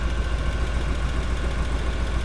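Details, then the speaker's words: BMW E30 325i forest find, not run in years, just started after fuel injector rebuild; deep steady even idle with no knocks or stumbles; engine running smoothly, timing belt and hoses still to be changed. "and she sounds beautiful oh yeah who's excited this guy is excited you're excited youtube's excited that's it we have brought her back to life"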